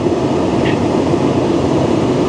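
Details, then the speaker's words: Tesla P85 cabin blower after replacing the blower motor resistor and DC/DC converter and reconnecting a switch. Steady, even rush of air with no rattle, squeal or scrape; blower now works, though heat is not yet coming. "Yes. There it is. There it is. There. This is what it's all about right there. This is what it's all about. Fixing it yourself. Listen to that. Wow."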